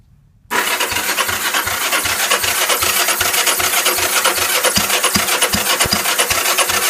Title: Cb450 no start